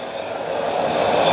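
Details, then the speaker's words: DIY waste-oil burner, fuel turned up from hair-thickness to about pencil-thickness flow: rushing, hissing roar building steadily louder over a second and a half as the oil comes up; burner lighting off strongly at high fire. "so oil's getting to it now so it should start coming up real soon you can hear it getting angry"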